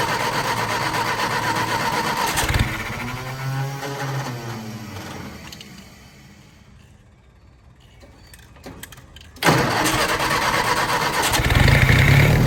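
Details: Willys-powered 120/240V 52 A Army skid generator, fresh fuel from boat tank, aftermarket electric fuel pump: cranks, fails, goes quiet, then catches and runs steadily; hard starting, runs only with choke held on (previous owner wired it), carburetor rebuild needed.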